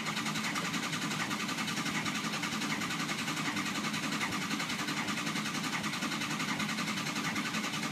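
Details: 2006 Ford Econoline 6.0 Powerstroke diesel: steady starter cranking with uneven intake popping and no catch; crank no start with no base oil pressure; pressure relief valve checked for sticking.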